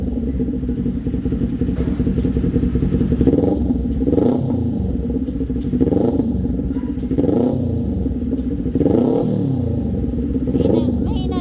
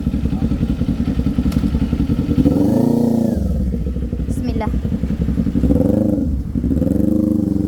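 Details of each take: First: Kawasaki Z400 before repair: bike pulls through revs with periodic surges and crackly popping on the overrun; owner reports backfire from the exhaust when riding. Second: Kawasaki Z400 after a repair for a backfire that showed when it was run hard; revs up and settles cleanly with smooth, even firing and no pops or bangs on the overrun; normal running, backfire gone.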